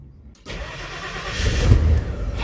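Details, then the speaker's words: 1989 Ford F-250 7.5L 460 V8 after installing a gear-reduction (PMGR) starter to cure hot-start drag: starter spins briskly and the cold engine catches right away into a steady low rumble; normal crank and start. "Okay, we have starter."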